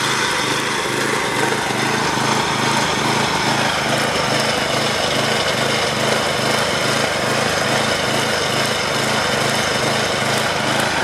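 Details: DR Trimmer/Mower model 60B, about 1997, blade belt engaged: small engine drone rises and falls about twice a second; surging under load, cause not found; blade keeps spinning after cable released.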